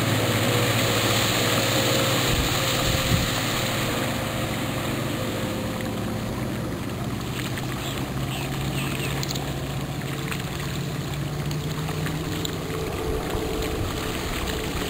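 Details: Outboard on a restored 1973 Checkmate boat with new transom, under load pulling skiers: steady, even low drone over water and wind rush, pulling cleanly without labouring; normal running under load.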